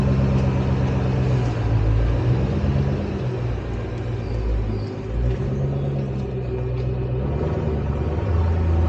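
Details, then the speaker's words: Mustang test drive over a bumpy road after replacing upper and lower rear spring isolators (torqued 85 lb-ft): only road rumble and soft thumps, previous rear clunk over bumps gone; repair successful. "all right this section road is pretty bumpy i'm not hearing anything i think this was a success"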